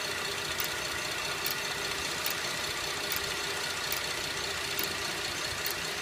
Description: 2011 Buick LaCrosse cxl is making a slow ticking/clicking noise. The noise seems to be slower than the engine but will speed up on accelerating. I have listened to it with a stethoscope and it has a metal sound.